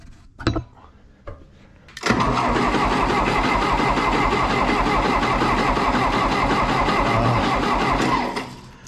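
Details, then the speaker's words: 1960 John Deere 1010 diesel tractor, first start after a budget engine rebuild, glow plugged and primed: even but lazy cranking around four turns a second that never catches. Slow cranking because the jump pack is too weak. "my jump pack is dying you believe that come on man give me some juice it's spinning too slow"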